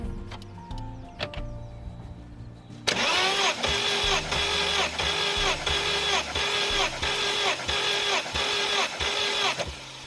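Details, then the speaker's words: Cold Saab 9-5 engine, long neglected, cranked with WD-40 in the cylinders during a compression test: the starter spins it at an even pace with matching pulses, showing good oil pressure and good compression. "you Tom yeah sounds good you've got pretty good oil pressure and good compression"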